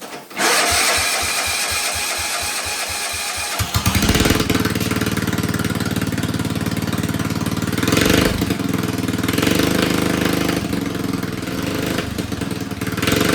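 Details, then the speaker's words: John Deere 111 mower with replacement engine after swapping a dead ignition coil: even cranking under four seconds, then catches and settles into a steady smooth single-cylinder run; healthy engine. "All right. Well, that runs pretty good, I think."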